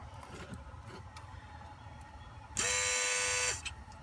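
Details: 2003 Volvo S60 2.5T AWD at quiet idle: a harsh buzz cuts in for about a second then stops, from somewhere low in the engine bay; source not pinned down, cause unknown.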